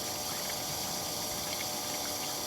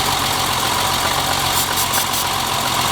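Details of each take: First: BMW E30 fuel pump volume test, with the pump run for 30 seconds into a bottle against an 875 ml spec: a steady, even whir with a faint high hum and no surging or grinding; the electric fuel pump works normally. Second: BMW E30 at idle, during a brake-cleaner intake-leak test with no change in idle: an uneven beat with irregular stumbles about three per second; the misfire was traced to a clogged fuel rail.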